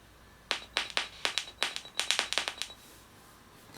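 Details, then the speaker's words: Sharp, irregular pops from clicking a homemade mute or push-to-talk switch on a jack-connected headset microphone into a phone; the phone's high mic input gain amplifies each switch click. "So that popping, obviously you won't be just clicking the switch, and that popping shouldn't be too bothersome to other participants."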